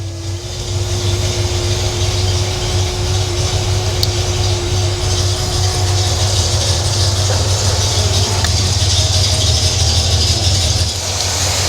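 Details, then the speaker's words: Cadillac with new RV cam, rebuilt air conditioning and new electric A/C condenser fans, just started: steady, even idle with smooth low rumble and faint constant AC hum, no knocks or misses; runs healthy. "All right, we're at idle now."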